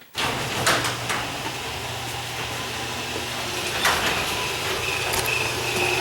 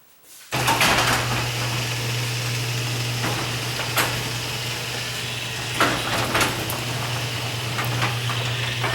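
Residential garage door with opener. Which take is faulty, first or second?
first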